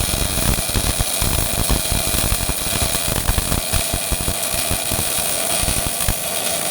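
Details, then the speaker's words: Old Miller-Matic 251 MIG welder set to 21 volts and 366, welding pipe fittings: a steady, even crackling sizzle with no pops or sputter breaks, a well-tuned arc laying a smooth bead; normal MIG welding arc. "21 volts, 366 on the old Miller-Matic 251. Happy burning, fellas."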